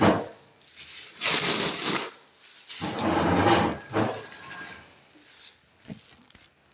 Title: This paper towels bad bearings 😬